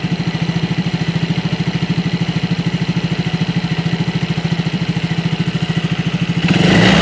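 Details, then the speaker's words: Yamaha Mio J fuel-injected scooter, engine warm around 84–85 °C, after fixing an injector that sprayed constantly with ignition on: even pulsing idle then clean rev rise without stumble; pull now good, O2 data normal. "Hei tarikan sudah lumayan enak kita tinggal jalan saja"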